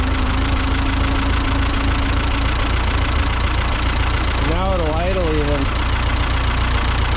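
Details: Ford 8N tractor after carburettor cleaning and ignition/ballast resistor wiring fix, low steady idle with an even thump and no stumbling; slight miss and a little smoke still noted afterward.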